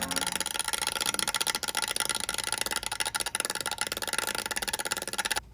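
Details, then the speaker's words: iMac with a bad LCD: a fan blade slaps a cable inside, making a fast, steady, loud clattering tick over a whir near the optical drive area; the owner suspects the optical drive fan, which probably needs replacing. "fan slapping a cable it's very loud and very annoying so we're gonna need to probably replace the fan"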